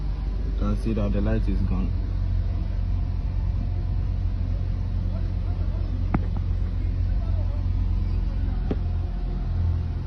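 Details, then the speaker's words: Honda Accord at idle after replacing spark plugs and ignition coils for a cylinder 2 ignition coil fault, with codes cleared: a steady, even low rumble with no shaking or stumble. "Let's check whether the engine is shaking or not. You can see the engine is not shaking again like that."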